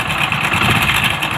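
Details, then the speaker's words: Motorcycle at idle, original timing chain replaced one month earlier but noise returned: loud, constant metallic chatter like loose links slapping; timing chain rattle. "இது sound பாருங்க அப்படியே உள்ள கொட்டுன மாதிரி sound கலகலன்னு பயங்கர sound sound அதிகமா"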